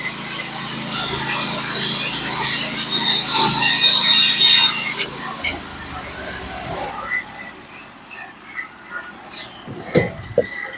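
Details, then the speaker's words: Norwood HD36v2 bandsaw mill with a Stellicut band cutting 1x6 fence boards, heard through noise-cancelling: a steady high blade hiss over an even engine note that dies away as the cut ends; the band cuts smooth and predictably, running normally. "I don't know if you guys I don't know if you guys can hear it through the noise cancelling but this band is really cutting great right now still it's cutting nice and smooth very very predictable"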